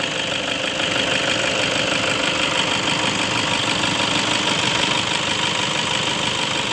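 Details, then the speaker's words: 2009 Toyota Innova diesel automatic, freshly changed oil and fuel filter, long unserviced with dirty intake and a hesitation and shake on throttle: hood-open idle is an even, steady clatter about three beats a second, no odd knocks or misses; normal idle. "Nah, ini dia, teman-teman, suara mesinnya seperti ini. Soal suara mesin, Papi merasa tidak ada yang aneh."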